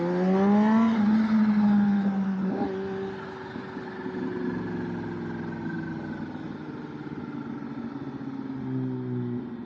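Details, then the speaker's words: Kawasaki ZH2 supercharged motorcycle on a test ride after code clearing: pulls cleanly through the gears with a smooth supercharger whine and chirp rising and falling with revs; normal. "Oh, such a beautiful day out. This supercharger chirping sounds great."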